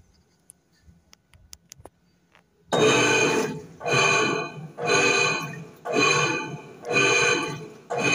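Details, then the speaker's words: Electrolux 10.5 kg washing machine, filled with water, agitating: loud rough grinding roar in bursts about once a second with each agitation stroke; noise also in spin, worn motor bearing (mechanism bearing also suspected). "Então, vocês percebem, pessoal, que é um barulho bem alto, né? Então acaba incomodando bastante."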